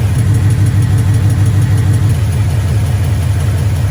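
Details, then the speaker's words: 2012 Mustang GT 5.0 Coyote, about 130–140k miles, long-tube headers, next day after oil change with Marvel Mystery Oil; steady deep V8 idle with faint light tick about three per second, the long-standing Coyote tick, barely quieter than before; suspected valvetrain, unconfirmed. "It did quiet my engine noise down just like a little smidgen, but it really wasn't that noticeable. Sounds very similar to before the oil change."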